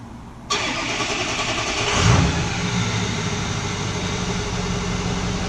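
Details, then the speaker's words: 2005 Ford F350 6.0L diesel: cranks and catches at once, a quick rev, then settles into a steady, even diesel idle with no misses; normal start and idle. "so there we go YouTube our batteries returns and engines running"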